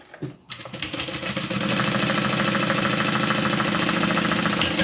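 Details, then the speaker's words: Sewing machine stitching a quilted bag: a rapid clattering knock of about three per second over the motor whir, the machine's known fault; cause suspected to be a loose or bent internal part, not confirmed. "You hear that knocking? That's what's wrong with my sewing machine."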